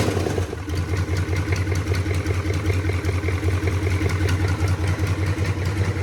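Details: 1983 K5 Blazer with a swapped 6.2 diesel, warm restart after glow plugs following a short first run: an even, regular diesel clatter at a steady idle with no misses or knocks. It runs well.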